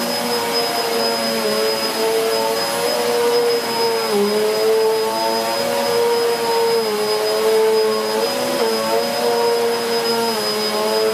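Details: Hoover Whirlwind Pet WHS2102 001 2100W bagless upright, bought 2013, on carpet, belt refitted: steady high motor whine with an even hum, dipping slightly as the head is pushed and pulled. The aggressive brush roll raises the pile; running normally.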